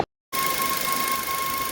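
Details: Maruti Suzuki Ertiga engine noise that began after a service, owner suspects the tensioner/belt, still not fixed after four days at an authorised service centre: a steady, thin whine holds at one pitch over the engine's hiss.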